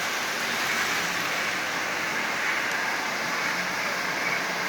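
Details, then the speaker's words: Lionel 8040 locomotive, nearly new with little runtime, motor just lubed and reassembled with added headlight, first test run forward at 50% power: smooth even whir with steady rolling noise, no catches; running quite well. "As you see, that's actually running quite well."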